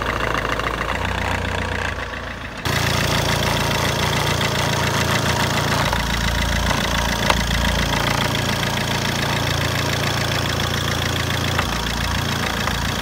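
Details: Fiat Albea 1.3 Multijet diesel idling with a steady, fairly even knock about three or four beats a second over the engine note; cause not clear.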